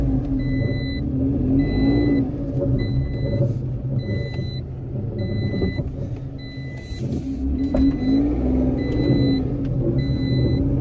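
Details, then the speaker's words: Citroen C1 3-cylinder budget track car, first running again after repair work: engine holds a steady idle and revs cleanly with no knocks or misses, a high chime repeating over it; it sounds good. "that sounds good"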